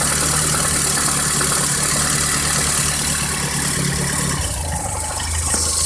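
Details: VAZ 2108 petrol engine idling with a faint regular knock under a noisy hiss; suspected crankshaft knock, source unconfirmed.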